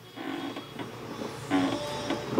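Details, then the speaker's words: 2003 Hyundai Tiburon GT 2.7L, clutch pedal pressed, heard at slave cylinder and release arm under car: short run of dry squeaky creaks, a driver complaint, to be cured with new clutch, hydraulic release system and solid flywheel replacing dual-mass. "you can hear we're getting some kind of nasty creaking sound out of this so that's one of the things we're going to cure"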